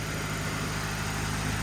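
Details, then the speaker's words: 1988 Saab 900 Turbo after manual gearbox swap, first runs after cleaning idle air control valve: even, fast idle around 1500 rpm while warming to temperature, lifter tick mostly quieted to a faint tick; idle still running high. "it's idling a little bit high still at around 1500 but other than that seems pretty solid"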